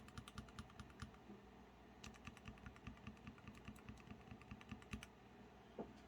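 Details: NK Dry series yellow linear keyboard switches, lubed either with 205g0 or a Super Lube oil/grease mix, in a blind comparison: soft, even key clacks in quick bursts with smooth bottom-outs and no scratch or spring ping.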